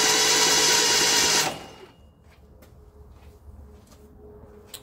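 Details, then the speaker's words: 1968 Datsun 1000 shed find, cranked by bridging the starter terminals with a shifter. The starter whirs hard and even with a steady churning pulse for about 1.5 seconds, then stops; good spark at the points. It turned over great; normal cranking. "we have power going to the starter motor engaging the solenoid winding the motor over really well quite frankly it turned over great"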